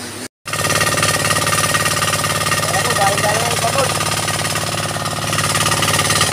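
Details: Single-cylinder diesel after a rebuild that replaced a failed 6306 main bearing, refilled with R1 C40 oil: steady, even putter at a constant pace with no knocks or rattles. It runs normally.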